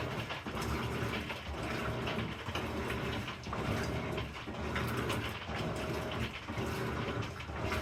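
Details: Amana NTW4519JW3 washer, bought new July 2023, agitating about once a second with dry crackling and clicking rising and fading each stroke; cause unknown.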